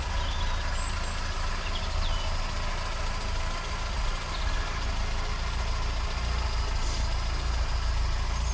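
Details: Austin Allegro 1300 Super just after cold jump-started first start in months, outdoors: low, steady idle with even beat, no knocks or squeals; healthy cold idle, exhaust steam is just condensation.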